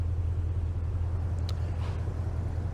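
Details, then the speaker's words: 2012 Ford F-250 6.2L gas V8, about 274,000 miles, after replacing the oil pressure switch/sending unit: a deep, steady idle with no ticking, knocking or lifter clatter. Oil pressure now reads fine even at low RPM, with no warning lights. "Oil pressure's fine. No engine light. No oil pressure dummy light. At even low RPM, oil pressure still plenty good."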